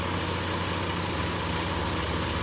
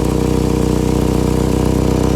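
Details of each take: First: 2012 Chevy Equinox idling after a temporary patch on its cracked resonator, left to cure half an hour; steady low hum with no puffing or ticking, no leaks felt, quieter than before the fix. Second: 2012 Chevy Equinox idling loud with a fast, even puffing chuff over the low rumble; exhaust leaking from a cracked resonator just behind the driver-side passenger door, before a temporary patch.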